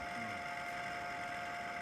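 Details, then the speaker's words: Indoor air conditioner unit with a long-standing abnormal noise: steady high-pitched whine and hum from a failing fan motor, heard before the motor was replaced. The breaker tripped during the check. "変な音がしてます。こんな音。"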